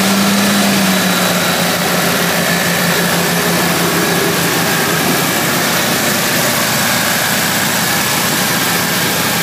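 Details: 1978 Ford Bronco V8 after the exhaust leak was fixed: loud, steady idle with an even exhaust note and no puffing or ticking, running smooth and sealed.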